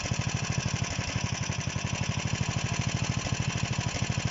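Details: DM-1 single-cylinder engine after a major overhaul, running at a steady fast idle with an even exhaust beat and no knocks or rattles; healthy normal running.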